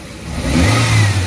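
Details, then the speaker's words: Car revving while warming up: the engine blips up cleanly and settles back with a strong, even note and no misfire or pops. "better we have no misfire got to rip it up son get get nice and warm for a bit and lovely that sounds good"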